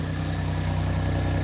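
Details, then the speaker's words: Car that started misfiring just before going to its new owner, after repair: even, steady idle with a smooth low pulse and no stumble or skip, firing cleanly on all cylinders; owner happy that was the only issue. "this makes me very happy that that's all the issue was"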